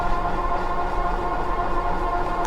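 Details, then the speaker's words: Magicycle Cruiser fat-tire e-bike, 750W rear hub, 52V 15Ah battery, climbing a hill throttle-only at 6% battery: constant scraping hiss with a steady ringing tone. The brake pads are rubbing the rotor, need adjustment, and are possibly hurting range. "these brakes are so loud though i need to adjust them can you hear them rubbing probably hurting my mileage with the brakes rubbing right"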